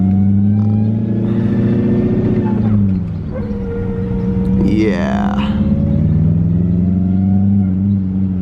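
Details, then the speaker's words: BMW E34 540 with ZF 5-speed manual after clutch and resurfaced dual-mass flywheel job, driving: gear whine over a hard-pulling engine rising with road speed, stethoscope places it inside the transmission; internals damaged from running without fluid. "it is clearly the no fluid has clearly taken its toll on this transmission uh it's it's fried it"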